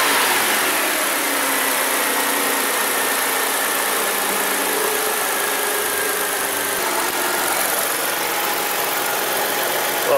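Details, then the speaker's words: Kia Sedona 3.5 after replacing spark plugs, plug wires and ignition coils to cure a bad misfire, warming up at about 130°: a steady, even, smooth idle with no misfiring or intake backfire. "I don't hear any misfiring and we obviously don't see any any more fireworks show there engine feels nice and smooth"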